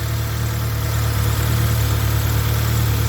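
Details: Acura Integra idling after head gasket replacement and rocker arm re-check: low steady even idle, no knocking, ticking or misfire; about two minutes running with radiator coolant level stable, judged fixed.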